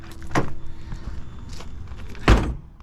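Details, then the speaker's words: 1988 BMW E24 635CSi door before adjustment, corner sticking out: two slams land as dull low thuds lacking the classic metallic ping, pointing to a poorly fitted, misaligned door. "okay, but you don't get that classic German ping. So a couple problems with this, and we'll get to those too, but back to the driver's door."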